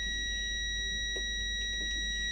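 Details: ProFX8 v2 mixer with a faulty socket, continuity test on a socket pin: a constant high beep without break while the pin is moved, so that connection is good. Another pin broke up, showing an internal socket fault.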